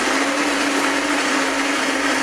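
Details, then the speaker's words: Saeco PicoBaristo SM5478 coffee machine after drive repair for alternating E03/E04 errors, test cappuccino: grinder runs at a steady mid-pitched whir with an even crunch of beans, no labouring or knocking; mill working properly. "Chciałbym, żebyście coś widzieli. Kawę zmielim. Czekamy, aż grzałka się nagrzeje."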